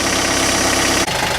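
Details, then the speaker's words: Diesel at about minus 25°C, just started and warming up: steady, even clatter that briefly dips from high idle and settles to a lower idle; normal cold warm-up idle. "oh man I just turned the camera off and it went from the high idle down to the lower idle really"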